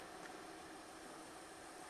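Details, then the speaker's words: 2018 Hyundai Elantra 2.0 L, previously surging with codes P0017 and P0301 and a cylinder 1 misfire, after repair: quiet, even idle with no surging or misfire stumbles; sounds much better. "Yeah, this this sounds a lot better. So, we're going to clear the codes and then we should be good to go."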